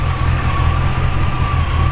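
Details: 1940 Ford Deluxe Woody Wagon: a deep, steady low rumble with a gentle mild-cam lope, firing evenly at a 600-700 rpm idle with no knocking or missing; a normal idle.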